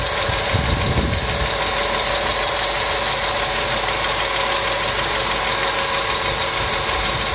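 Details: Engine hydraulic lifters (compensators) ticking: fast light ticking about three per second over a steady idle with top-end clatter; client complained of engine noise, treated with a TOPLIVODAR additive (repeat dose after 500 km advised), after which the noise was reported eliminated.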